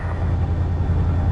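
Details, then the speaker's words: Car not started in quite a while, cold start on a warm day after snow; cranks fine, full tank; low, even, steady idle rumble without misses or knocks while battery charges; normal idle. "We'll let this baby run up and let that battery charge up a bit. It's warm enough now. It shouldn't be frozen."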